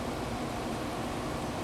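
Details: Amana 1200 W room air conditioner (10.5 A) running after replacing an open tactile switch button: an even blower whoosh over a low steady hum, no rattles, blowing cold.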